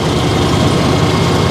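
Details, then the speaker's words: Simplicity snow blower test run after repairing broken bolts and a bent shaft from blowing ice chunks: small engine holds a steady, rough-edged drone with even low thrumming, no grinding or clunks; repair successful, running normally. "Well, I think that was a success. Everything's working good."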